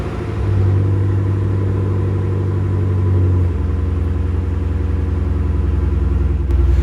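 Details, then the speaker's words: Rare Monogram MG ZT260 V8 started after winter hibernation, battery connected and levels checked; catches and settles into a deep, even V8 burble with no knocks or misses; healthy idle. "I hope you can still hear me over the engine noise, but well, I think it's just such a treat to stand here and listen to this car run and, well, burble away. It makes such a lovely noise."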